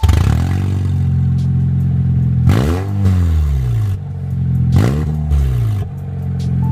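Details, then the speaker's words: Honda CR-V with the catalytic converter removed, drive-by and startup with two quick revs: deep, booming drone that swells and settles back; obnoxiously loud exhaust with no cat. "that is obnoxiously loud oh my god that is so loud so loud"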